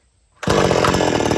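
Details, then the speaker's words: Old-school chainsaw warm restart after kill switch: switch pushed on, one pull and it catches immediately, settling into a steady, even high-speed two-stroke buzz; normal warm start and run (starting with switch off floods it). "When you get ready to start it, push switch on, and give it a yank."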